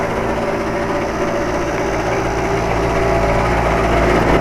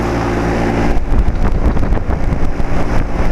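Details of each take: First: 2007 Carrier 2.5-ton central air conditioner outdoor unit: uneven, irregular rattling whir over the steady hum, on and off for four or five years; believed to be the fan motor but source is hard to pinpoint. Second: 2007 Carrier 2.5-ton central air conditioner outdoor condenser, which has made weird noises on and off for years (fan motor suspected), running normally with a steady low hum and some irregular rustling and tapping.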